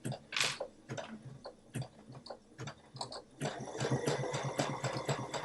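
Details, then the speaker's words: Sewing machine doing a zigzag stitch through thick fabric while making a face mask: light, slightly clunky repetitive clunks at about two per second as the needle punches through; normal sound when sewing heavy material. "Now, you hear it's a little clunky. This is thick."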